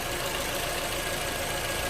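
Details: 2011 Toyota RAV4 idling after replacing bad alternator and belt, charging at 13.6 volts; steady even idle, no knocks, ticks or belt squeal; normal idle after repair.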